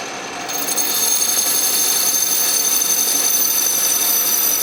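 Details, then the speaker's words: Restored 12-inch Atlas Craftsman metal lathe turning scrap brass under carriage power feed, lathe not yet leveled or bolted down: steady high cutting hiss over even motor hum, no chatter or knocking; normal power-feed turning. "that worked beautifully"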